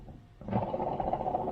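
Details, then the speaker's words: High-mileage alternator from a Renault Trafic whose battery went flat after a cut plug wire, charging briefly then dying: spun by hand it gives a rough gritty rumble from shot bearings; brushes also suspected worn. "now what we're going to do we're going to open it up because we believe it's got a problem because if the bearings as you can hear them are shot"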